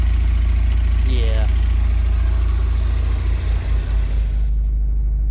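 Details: Honda Prelude with misfire, before spark plug check: deep idle with steady lope, engine shaking more than usual, exhaust popping, brapping; rough idle from misfire.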